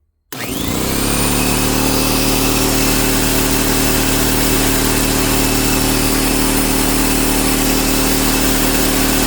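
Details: Secondhand Fortress air compressor that wouldn't kick on and had sparked, started after tapping on it: a click, then a steady loud even drone with constant pump chatter. Running normally after the fix.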